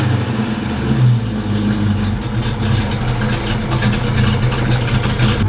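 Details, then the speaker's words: 1990 Ford Foxbody Mustang, cold start: starts on high idle, then drops and runs unevenly, revs rising and sagging every second or so; idle surge, owner suspects TPS issue and plans to reset and check TPS voltage. "once it like kicks the it like it'll start on a high idle and then it'll drop down and it'll kind of run weird and once it picks itself back up and doesn't stall it's fine but you can hear it surg I don't know what the surging is"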